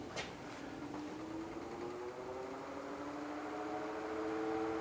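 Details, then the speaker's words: Office electric fan about 25–30 years old, after a quick cheap repair, running on medium: low, steady hum with a faint even tone and some wind noise, no rattle or ticking, relatively quiet and normal. "just relatively quiet medum I don't know if you guys are getting that wind noise or stuff"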